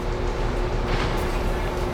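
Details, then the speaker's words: Sixties Ford Galaxie with 289 or possibly 302 V8, recently revived: steady raised idle that won't drop as low as it should; carburetor needs checking, lots of fuel in oil, valve covers leaked oil. "It still won't idle down quite as far as it should, but it's close enough to get us in the ballpark."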